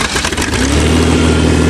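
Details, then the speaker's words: 1986 Ford Ranger, about 314,000 km, cold start in snow, previously misfiring: starts and settles into a steady, smooth even run with low hum, no stumbling. "can you hear how smooth that runs that was misfiring that was misfiring"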